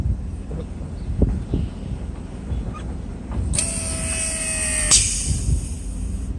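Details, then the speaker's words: Mercedes W140 soft-close assist pump, engine idling (higher alternator voltage), door opened and closed near the phone; steady pump hum about 1.5 s, then the latch thunks shut; fast release, normal operation. "Pretty nice. I mean, I don't have a problem with it anymore. It's fine. The release is fast."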